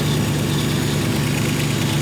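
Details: V8-swapped Ford Capri with a rough idle and a big exhaust leak at the back and side of the 'pump' (as stated). A sharp, hissy, raspy puffing chuff comes on every beat. Smaller leaks are also known; a new exhaust is planned and sealant will be tried.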